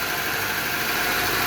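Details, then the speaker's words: Petrol car engine after replacing a seized rocker arm (balancín) that wasn't lubricating and changing oil: idles smoothly and evenly, tapping/knocking noise gone. "Entonces se tuvo que cambiar toda esta pieza para poder dar solución Okay después de hacer el trabajo el cambio escuchen qué finito se"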